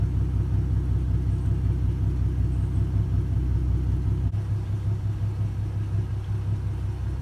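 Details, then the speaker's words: 2012 Mustang V6 after installing cheap headers, with older Flowmaster axle-back mufflers: a very loud, deep, steady exhaust pulse at idle and when revved, with no misses, ticks or knocks; running healthy. "very loud is it sitting there idling hear what it sounds when she ribs pretty good well that's my conclusion"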